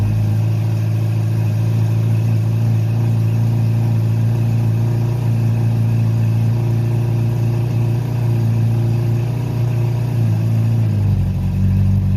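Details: Honda CB700SC Nighthawk inline-four after a carb cleaning, with stock jetting 35/115, air screws 2 turns out, non-ethanol fuel, 4-into-1 exhaust, no airbox and throttle cables unhooked. Steady, even idle settling slightly lower near the end. Normal idle.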